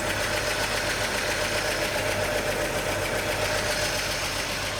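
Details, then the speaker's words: 1941 Chevy coupe six-cylinder, new generator and fan belt, on its longest run yet: steady, even note, quick and busy for an idle with no knocks or misses; idle runs a little high and likely needs carburetor adjustment. "I think we're going to have to do some carb adjustment here, but idle's a little"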